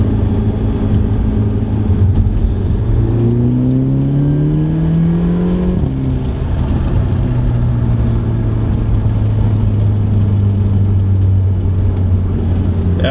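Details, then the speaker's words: Audi A3 2.0 TFSI under acceleration after installing a CTS turbo intake, diverter valve found soaked in oil, possibly from a faulty PCV: rising whir climbing with revs, then a cruise drone; the turbo whine persists but is quieter. "I can still hear it though I can still hear the noise that's so weird he still making the noise but it's not as loud"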